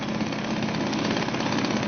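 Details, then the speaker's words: Suzuki DT 2.2 HP two-stroke outboard just started in a test tank, choke now off; steady even buzzing tick-over, no misses or surges, cooling water flowing from tell-tale hole, idling cleanly. "That's it, that's ticking over now without any choke on."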